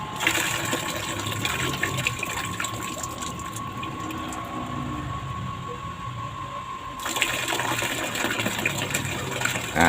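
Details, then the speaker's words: Water pump with enlarged suction chamber, primed until the priming water overflowed and cap tightened: steady pump hum with strong, even gushing water, no surging or sputter; primed and delivering full flow. "Nah sekarang ini ini titik kekuatan yang Sempurna sudah maksimal"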